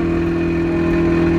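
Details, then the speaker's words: Turbo Mazda Miata idling with loud, busy, even ticking over the idle. Oil pressure is present, but the owner believes the engine blew up; cause unknown. "as you guys can hear the mad ticking I don't know what's wrong"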